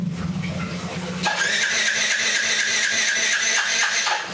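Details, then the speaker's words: Old Yamaha Jupiter Z, very cold engine, cranked on the starter with a DIY 4S LiFePO4 32700 battery reading 13.2 V; the starter whirs steadily but the engine won't fire; it is warmed with the kick-starter before retrying. "Ini kondisi motor saat dingin banget ya, Teman-teman. Apakah kita coba kita tes ya untuk kondisi starter kita mulai. Hm. Masingin tidak naik ya, Teman-teman."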